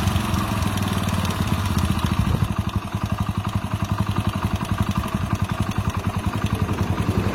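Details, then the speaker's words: Hero Splendor Plus single-cylinder idling warm with light quick tick over the thump: loose valves in the head, timing chain also slightly loose. "Sound వినండి main గా light గా wall sound వస్తది tick tick tick tick tick tick అని దాని గురించి అయితే tension పడకండి"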